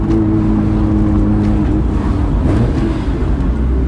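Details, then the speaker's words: Nissan R32 Skyline GTR cruising after being put back together: a steady, even low drone with no rattles, leaks or popping; it runs properly again. "yeah it just doesn't get old when it works properly i think i'll tell you what it was totally worth the hassle of getting it all back together just to get it running again properly"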